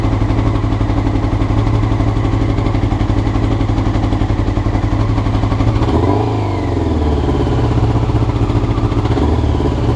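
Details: Honda CBR motorcycle recorded before changing the float needles: the idle stumbles and runs uneven with a brief blip partway through, clearly rough; cause suspected, not confirmed.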